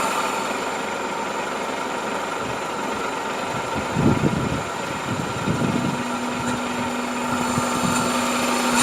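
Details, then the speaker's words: 1997 Toyota Camry, rough idle with irregular backfire-like popping bursts over a steady hum; compression-related misfire from tight valve clearance, after ruling out vacuum leak, spark, coil, EGR and exhaust/intake leaks; fixed by shim replacement. "Hear it? Kind of almost like a backfire."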